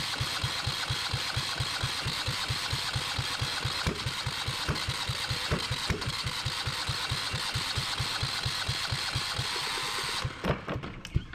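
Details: Yanmar 1GM single-cylinder marine diesel in a shop, before cooling-passage flushing: even starter thumps at about three and a half a second for ten seconds, with no firing or pickup before it stops. Cranks but won't start.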